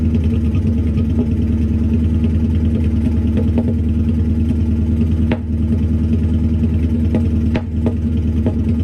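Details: Ford Focus twin-turbo V8 project, first start on new custom TIG-welded stainless exhaust: lumpy idle with uneven beat, odd stumble and clatter; misfire at idle, cause not yet found.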